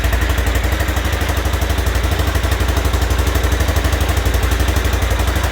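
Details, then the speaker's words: Aprilia Pegaso Cube idling after a stone-cold start with the choke turned down a little, after a new battery and cleaned carbs: even, steady putter with no knocks, misses or hunting; normal idle. "So electrically everything works, and mechanically everything works. And I don't think it sounds too bad actually."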